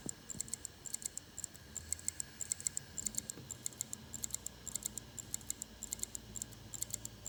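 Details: LaCie Rugged 4TB USB-powered 2.5-inch drive, about six months old, never dropped, not recognized by computers: quiet, sharp ticking in uneven bursts over a faint hum, like a failing drive's clicking.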